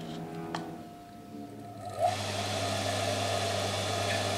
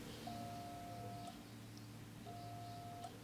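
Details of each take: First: Single-phase motor without capacitor or auxiliary winding on mains power; only hummed until the shaft was turned by hand, then runs with a steady low hum and even whir for about seven seconds; normal running on main winding. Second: Single-phase motor connected straight to mains without starting capacitor or auxiliary winding: steady low hum with no run-up, the motor buzzes but won't start on its own, though the shaft turns when spun by hand.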